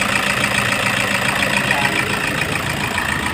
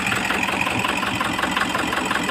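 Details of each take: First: Toyota HiAce 2KD diesel with the injector codes entered. It settles into a steady, even idle clatter with no stumble or heavy knock and is running properly. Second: Toyota HiAce 2KD diesel idling with an uneven, lumpy clatter, misfiring and knocking. In a balance test, cutting fuel to cylinder 4 changes neither idle nor sound, so the No. 4 injector is judged defective and needing replacement.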